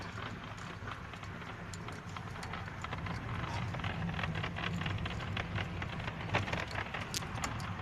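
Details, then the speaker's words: Hyundai i40 driving: irregular dry crackles and ticks over road rumble from the upper dashboard panel under the windscreen, loose and creaking; dashboard rattle. "так вот трещит панель на хендай ай 40 [аплодисменты] это верхней части под лобовым"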